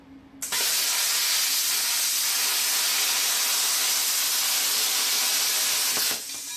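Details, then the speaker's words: Plasma cutter running a larger P90 torch with a smaller-orifice consumable tip: loud, steady, even hiss with no spitting or crackle while cutting cleanly; normal plasma cutting. "did you notice that guys that sounded and even looked a lot better let's try it again see that guys it's a lot better right it doesn't spit and start"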